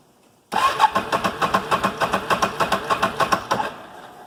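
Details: 2008 Can-Am Outlander 650 after being run about a minute and shut off, an intermittent fault that starts when cold: the starter cranks with even pulses about three per second for roughly three seconds and never catches. Cause: a failed crank angle sensor.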